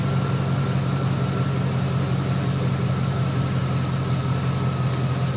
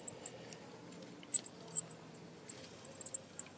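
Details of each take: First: 2003 GMC Sierra SLE 4.8 L V8 at idle after fitting a used remanufactured 105 A junkyard alternator: smooth, even drone with a faint steady whine; dash reads 14 V, no battery light, 13.2–14.2 V measured, charging normally. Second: Original alternator removed from a 2003 GMC Sierra SLE 4.8 L, spun by hand: sharp high squeaks in quick uneven bursts from inside, with no play in the pulley; judged to have failed.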